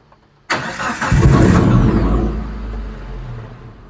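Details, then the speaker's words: Suzuki APV / Mega Carry that would not run: short crank, engine catches with one burst and fades out within about three seconds; starts then stalls. "a dia hidup terus dia mati Nah ini kan Coba lagi ya dia nggak bisa hidup teman-temannya jadi jangan dipaksa ya"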